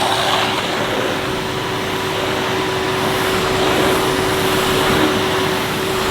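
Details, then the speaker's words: 2005 Numatic Edward Turbo vacuum cleaner with turbo electric head that had been cutting out intermittently; after cleaning the parts, a constant vacuum roar with a steady motor tone that never drops out. Power head running normally, apparently cured for now. "Right, that seems to have cured it for now anyway."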